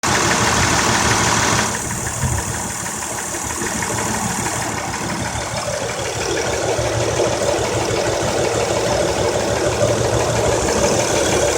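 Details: 2003 Honda Accord EX 3.0L V6 with 6-speed manual at 171k idles unevenly, stumbling about three times a second; P0300 and P0303–P0306 with a blinking CEL after new plugs and coils, the misfire caused by one new coil that was dead on arrival.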